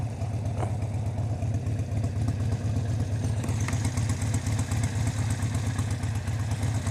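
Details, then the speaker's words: Harley-Davidson V-twin, warm after a freeway ride, idle lowered with a new manual idle control knob: a slow, lumpy idle with an even thump about two beats a second. Healthy, and not set so low that it starves oil. "see, doesn't that idle sound much better? I think it does. And it's not too low that it's going to hurt the engine."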